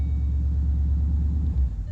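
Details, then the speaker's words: Rebuilt Ford Mustang Boss 302 after its wet wiper connectors were dried: a steady deep idle runs fine, then sags and dies the moment the AC is switched on. Engine stalls when AC engages. "Same deal as last time, key out, key back in, runs fine, no problem. The second we hit AC,"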